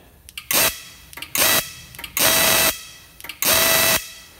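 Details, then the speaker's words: Repaired faulty plasma cutter at about 1°C ambient, no compressor connected: four trigger pulls each give a clean hissing arc burst with a steady whistle; fault light not tripped, operating normally. "if we'll notice it's still working fine the light hasn't tripped"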